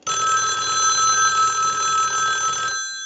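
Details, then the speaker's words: Country Line wood wall telephone on checkout, ring cycle sent from analyzer: clear even bell rings steadily for almost three seconds then stops cleanly; ringer works properly, any background hum is atmospheric pickup, not the phone. "we're going to let that go a few times I'll let it go one more time"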